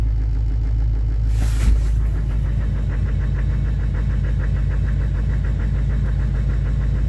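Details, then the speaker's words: GM Duramax LBZ diesel truck on cold start: loud diesel clatter at idle with uneven beat and shake, running a little rough then smoothing right out; rough cold-start idle, cause not stated. "Trucks are running a little rough. And then it just smooths right out."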